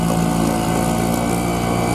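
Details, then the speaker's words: Sharmax 4 hp outboard with Chinese carburetor, on petrol; it had earlier stalled because the fuel tap was not fully open. Steady, even buzz with no misses or knocks; runs smoothly. "работает ровно"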